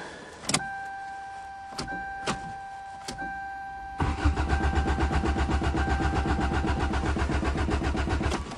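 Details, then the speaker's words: Toyota GTS, cold start in March: a few short starter bursts, then about 4 s of steady cranking at roughly four beats a second that never catches; no fuel pump heard, owner suspects a stuck fuel pump; no-start, same as last year. "oh now you're teasing it's doing the same thing as last [Music] year I can't hear the fuel pump probably is a stuck fuel [Music] pump"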